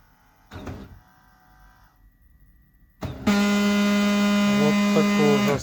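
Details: Kyocera P3145dn laser printer at power-up: loud, harsh crackling, whistling and buzzing, with paper jamming at the drum; quiet when the drum unit drive is removed; worn drum drive gear Z128R (302L231040) crackling and skipping, fixed by replacing it.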